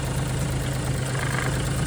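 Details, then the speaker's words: Suzuki Alto Works, warmed up, under hood with HKS pod filter, new plugs and wires, timing belt 12,000 km ago: even settled idle, light harmless tapping over low hum, no deep knock. Normal idle. "But I guess I'll put it over just so people don't think that there's a knocking sound anywhere."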